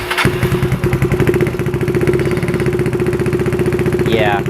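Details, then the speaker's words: Yamaha Zuma 158cc big bore kit scooter at first test start after rebuild (new piston rings, timing chain, valve lash); single-cylinder runs with fast even pulses only while throttle is held, idle very low, nearly dying; owner wonders if it needs warming up. "oh there we go okay so it sounds like it's running but the idle is really low i have to hold it a little bit i wonder if it needs to warm up or something"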